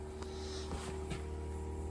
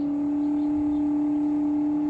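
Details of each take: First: Samsung mini split heat pump with C464 compressor overcurrent fault, after evacuation and recharge, heating at full blast at 60°F outside: steady compressor hum with mid tone and light clicks, still noisy but not as bad as before. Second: Samsung mini-split outdoor unit running hot-heat mode with a C464 error: the inverter compressor gives a loud, steady droning hum while drawing 4.16 A and rising (max 9.2 A). This is a compressor overcurrent (IPM) fault; the compressor is suspected, and the charge checked okay earlier.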